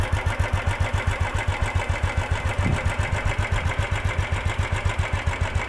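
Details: 2015 Royal Enfield Classic 350 (Bullet) at idle: slow single-cylinder thumping about four beats a second with a metallic clatter on each beat; timing chain mismatch causing engine noise and lack of pick-up.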